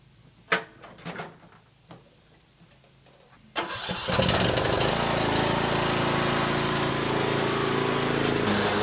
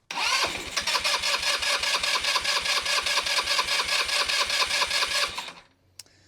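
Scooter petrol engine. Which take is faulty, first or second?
second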